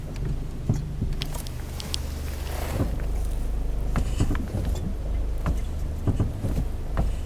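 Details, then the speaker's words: Renault Logan at about 95,000 km, braking at low speed: irregular dull knocks from the front when pressing and releasing the brake pedal, over low engine and road rumble; owner suspects the front brake pads. "тук-тук ток слышите выкладки тормозные"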